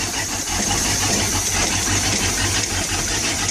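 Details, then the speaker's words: Mercury Cruiser 350 V8 with Rochester Quadrajet four-barrel carburetor and divorced choke, cold start after two weeks unused, primed once: fires right up and settles into a firm, steady throaty idle with no misses; normal cold start. "okay so this is cold start and it fired right up okay so so i fired right up which is really"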